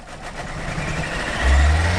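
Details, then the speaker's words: Barn-find Peugeot 307 1.6L 16V, first start after oil was removed from the spark plug wells: the engine catches and revs lumpy and unsettled, burning oil with smoke out the back. Rough running is blamed on oil in the plug wells. "oh gros ouais on a cramé l'huile regarde derrière oh là là beauté Deo c'est pour ça qu'elle tourne mal mec"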